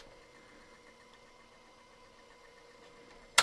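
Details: Toshiba RT70S radio cassette boombox after cassette mechanism service and new belt: quiet, even motor whir with a steady tone, then a firm clunk as the mechanism stops at the end. Rewind sounds normal.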